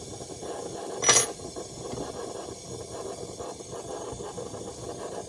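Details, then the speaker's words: Coleman lantern under repair: quiet steady hiss with no sputtering or pulsing; burner running properly, in good shape. "Listen to that sucker. That works. That's actually in pretty good shape."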